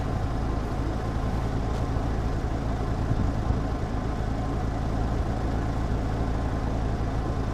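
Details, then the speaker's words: 1996 Dodge 8.0 V10 ranch truck, also using coolant (possible cracked head or head gasket): deep rough rumble with raspy popping; exhaust leak. "you guys want to hear what a uh V10 with an exhaust leak sounds like I know the answer you can hear it popping"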